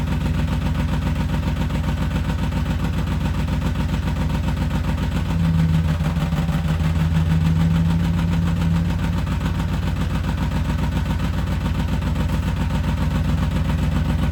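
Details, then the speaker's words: BMW E34 530 whose clutch started going out and began sounding horrendous while driving: lumpy idle with a deep drone and low clatter underneath; something unhappy in the clutch or driveline, owner suspects the differential died. "Yeah, something's not happy down there. See, look. I'm starting to wonder if my diff died."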